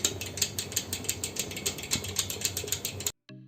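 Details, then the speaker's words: E-bike geared hub motor opened up, wheel turned backward by hand: crisp even ticking about four clicks a second from the internal freewheel clutch of the planetary gear system; normal ratcheting. "जब भी किसी भी बखूबी मटर को gear motor को हम लोग रिवर्स में घूमते हैं तो अंदर से इस तरह का आवाज आता है या आवाज इसी प्लस सिस्टम से आता है"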